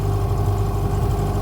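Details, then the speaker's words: Hangkai 18 outboard, running in gear at just above quarter throttle for a 50-minute break-in: deep steady drone, even firing, no knocks or misses; running smoothly. "and then we can go for a boat ride. Don't sound too bad."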